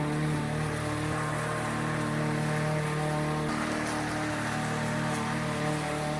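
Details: Troy-Bilt TB110 mower with a Briggs & Stratton single-cylinder engine that sat for months and then quit: it runs steadily with a constant rapid beat and no surging or misfires. Running normally.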